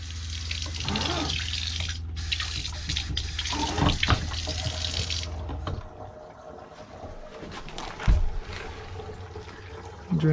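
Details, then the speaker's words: Van water system with a Shurflo pump, accumulator and strainer, Arofa faucet, Elkay sink and 4-gallon grey water tank, tested after retightening fittings: steady rushing water, then it stops and drains cleanly with no drips; normal faucet flow and drain. "is looking good no drips is draining well so that's my water system"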